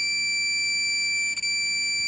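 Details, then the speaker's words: Minelab Profind 40 metal detector with ferrous mode switched off (minus held 3 seconds): iron gives an unbroken high steady tone with a brief dip, the same continuous tone as a coin, instead of a broken tone. "எப்படி நார்மலாக ஒரு காயினுக்கு sound வருமோ அந்த sound தான் வரும்."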